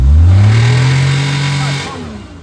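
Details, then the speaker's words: Maruti Omni petrol engine revved after starting: a deep khat-khat knock underneath; the engine was opened and the connecting rod bearing found worn sharp, a connecting rod bearing knock. "य sound देख रहे ना य connecting का engine का लगता है कि साउंड है"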